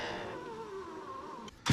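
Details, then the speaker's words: 2000 Ford F250 Super Duty 7.3 diesel power window: the motor hums steadily, then sinks in pitch as the glass drags and slows near the bottom before thumping home. The track appears to grip the glass too much; binding at the bottom of travel. "cuz it goes fast until it gets [Music] to right there and and you can look you can see that it looks like it's just gripping too much"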